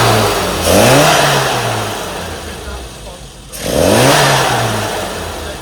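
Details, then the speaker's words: Car after a carburettor fuelling and timing tune: sharp throttle blips with no stumble or spit, now crisp and responsive; before the tune it had flat spots and spluttered under acceleration. "So really responsive now. Before you'd put your foot down and there was like either flat spots or it'd splutter and trying to overtake was a joke."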